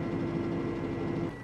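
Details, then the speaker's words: Arbos 5130 tractor diesel idling in the cab after fitting a hydraulics sound-deadening kit; steady low drone, faint even hum, no rattle, about 73 dB at idle, quieter with less booming and steering-wheel resonance than before. "Jest, nie, no jest ciszej, to coś chodzi ciszej jednak. Wtedy tak buczał bardziej."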